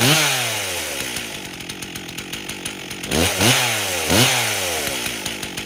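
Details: 1998 Stihl 044 Magnum chainsaw, fully rebuilt, first test run with 25-inch bar, idle spec 2700 rpm: quick throttle blips fall back to busy two-stroke idle that keeps running; idle acceptable, carburetor tuning still pending.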